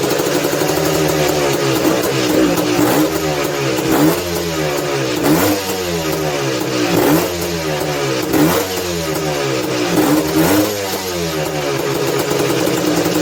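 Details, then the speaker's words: 1986 Honda TRX250R two-stroke, ice cold, on choke after a prime kick: throttle blipped about every three seconds, revs climb sluggishly and fall back raggedly. Bogging and rough running, cause not confirmed. "the old freaking uh Prime kick give it two guys can hear how it's like real doggy"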